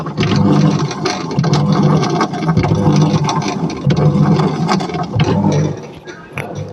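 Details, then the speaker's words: Samsung top-load automatic washing machine, drum spinning: loud low rumbling drone swelling and fading in waves, noise doubling under load; worn gearbox mechanism, which is then replaced. "अभी जो नॉज है काफी ज्यादा है जब इसमें load देंगे तो इसका नॉइस डबल हो जाता है"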